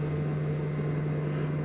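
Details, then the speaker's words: Marshall MG100DFX guitar amp played with a single-pickup SG-style guitar: crackling and a steady low rough buzz caused by dirty, crackly control pots, before they are cleaned. "so the you can hear the crackling there so here we have the crackling"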